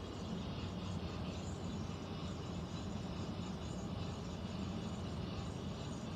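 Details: Central air conditioner air handler, heard in a bedroom and seeming to come from above the closet, gives a constant low droning rumble with a faint hiss and no pitch change; abnormal noise, cause unknown, possible leak questioned.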